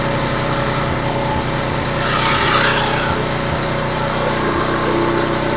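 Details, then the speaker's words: Homelite HGCA3000 3500 W generator after new carburetor and head gasket, choke on, started easily: small single-cylinder engine idles steady and even, no load, no misses, reading 122-124 V, 61.8 Hz; normal idle. "okay machine is on choke is on starts really easy"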